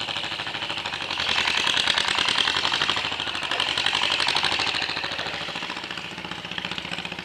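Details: John Deere MC crawler running for the first time in a year after cleaning grungy points with 1500-grit sandpaper, fuel system gone through, new muffler and exhaust stack, ignition rebuilt except points and condenser: even clatter about three beats a second with bright mechanical rattle, no misses, moving under own power; normal running under load.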